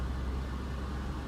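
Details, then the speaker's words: 2004 GMC Envoy XUV pickup just started with AC running: fires right up into a steady, evenly firing low idle rumble with no knocks, pings or ticking; normal healthy idle. "Here we go. 3, 2, 1. Fires right up. No knocks, no pings."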